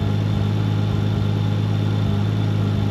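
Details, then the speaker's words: Nissan 240sx with RB25 after new coil pack install, test-fire at idle: steady low rumble with an uneven stumble every few beats; misfire at idle, owner suspects sticky injector, fuel issue, boost leak or coil packs, not confirmed. "but it seems like I have a slight Miss interesting fuel related or what I have a boost leak or something interesting going we go idle down yeah yeah seems like it's got a miss"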